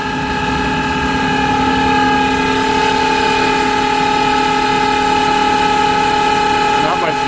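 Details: Smithy AutoMate CNC LT1440 lathe, about two years and 800 spindle hours, before spindle replacement at 1800 rpm: steady whine of stacked tones over rough hiss, unbearably loud; pointing to worn spindle bearings, fixed by replacing spindle.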